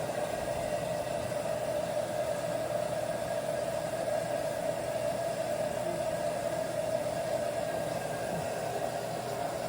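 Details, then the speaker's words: LG front-load washer with IE code, after replacing hot and cold water valves, in diagnostic mode: probably main water valve fill, steady even hiss with light hum, no chatter; pressure reading drops from 261, normal. "you know it's working properly when it turns off at about 230 229 when it's full"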